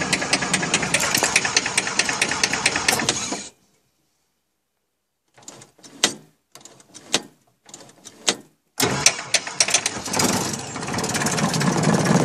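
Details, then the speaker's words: Jodel D112 with Continental C65 engine fitted with added starter and alternator, started in cold weather at low temperature on second try: cranks, coughs a few firings, then catches and runs steadily, left to warm up slowly; healthy cold start. "temperature is low now and I hope you can hear me nice picture above the engine noise I'm just going to let the engine warm up slowly"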